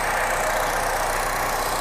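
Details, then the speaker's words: Honda Jazz RS GE8 2013 facelift, 1.5 L four-cylinder i-VTEC, 5-speed automatic, idling: smooth, even hum with no harsh sound, no valve tick or bearing noise; normal healthy engine. "halus, tidak ada suara kasar. Dari dalam mesin ini juga tidak ada suara klep, tidak ada suara bearing. Suaranya standar normal."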